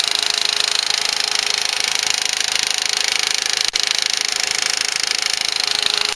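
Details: 2004 VW Passat 1.8T GLS: fast, very even light ticking about three per second over the running engine, from the rear of the engine, intermittent, worse at startup; some suggest a lifter, unconfirmed.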